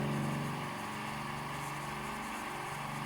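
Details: D KIEI 50-litre "silent" air compressor running: even mid-pitched hum with a steady pulse around four per second, no knocking or screeching; owner calls it fairly quiet. Normal running.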